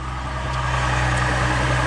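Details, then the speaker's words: GMC Envoy at idle after loud exhaust was repaired: steady even low rumble, no rasp or blatting. Exhaust now quiet, normal. "We don't have a loud exhaust on the GMC no more. We got that fixed. Paid a little too much to get it fixed, but we got it fixed."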